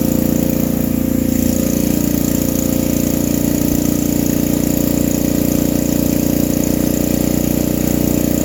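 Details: Vintage generator, Tecumseh engine driving an Onan generator head: steady, busy, fast even drone above normal governed speed; owner feels it runs too fast, and the generator produces no output, possibly a ground issue; cause unconfirmed.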